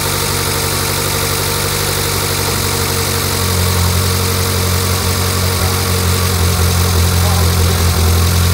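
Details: Fully built Mitsubishi Evo 8 (Arias pistons, Eagle rods, Kelford 272 cams, FP 71HTA turbo, ID1300 injectors), first start after rebuild following a blown motor; loud steady idle firming up after seconds, no knocks or misses; normal idle.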